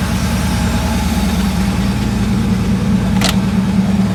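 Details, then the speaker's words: Mercedes 6.9 V8, cold start after sitting overnight, still cold: steady, even idle held slightly high, no misses; oil pressure good, temperature rising slowly, owner thinks it needs tune-up and fuel system cleaning. "check the gauges again oil pressure's still good idling a little high suspension lights off temp comes up slowly"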